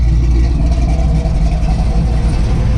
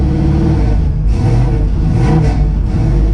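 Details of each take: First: 1963 Chevy Nova after its cog-type drive belt and bracket were adjusted and shimmed: a deep, steady idle rumble, even and settled with no hunting or hissing. It idles cleanly. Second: 1963 Chevy Nova carbureted engine after fixing a missed vacuum port leak and richened idle mixture screws: rough note sagging and surging with throttle, won't idle at all; idle speed, previously cranked down, needs raising and settings reset.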